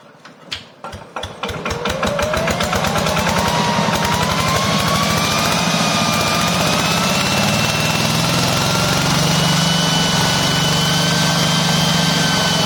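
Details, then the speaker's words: Yanmar TF105LM single-cylinder diesel walk-behind tractor starts, then races on its own with a rising whine and won't settle or shut off; the engine overspeeds from a stuck or worn governor. "อาการนี้อาการของกาวานาค้างหรือกาวานาสึกนะครับ"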